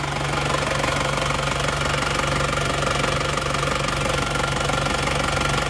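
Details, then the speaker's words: Isuzu Panther 2.5 diesel, owner wanted an engine rebuild for sluggish power: even diesel clatter at steady idle, about three knocks a second, no odd noises, little smoke; mechanic judges engine still normal. "kalau saya rasa ini mesin masih masih normal Joe asap juga tidak begitu kelihatan"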